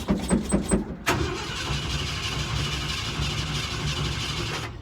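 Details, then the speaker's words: Ford F100 (Bumpside), sat about three months, trying to run off the old tank gas after pumping the pedal: a few slow pumping chuffs, then about four seconds of steady starter whir, never catching; cranks but won't fire, cause unconfirmed. "prime it with some gas. We'll give it a couple more cranks and then I'm gonna be done, because I don't want to kill this battery."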